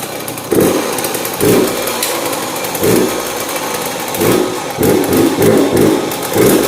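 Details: Yamaha YZ85 two-stroke, first start after top-end and water pump rebuild, choked: raspy, bogs and won't rev cleanly, blips falling flat with gurgly, watery pipe note; runs rich-seeming, cause found to be plugged exhaust.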